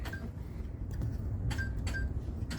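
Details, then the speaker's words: Lord of the Rings pinball machine in test mode, switch removed and cleaned: crisp clicks, each followed by a short high chime about every half second over a quiet hum; the switch now registers cleanly. "uh i removed this switch and cleaned it and hear that"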